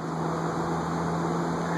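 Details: Montgomery Ward Signature 20" 3-speed box fan with thermostat, believed Hunter-made, dry bearings oiled with WD40, on medium drawing about 1.67 A: even, steady whoosh of air with low constant hum, no squeal or rubbing; runs normally.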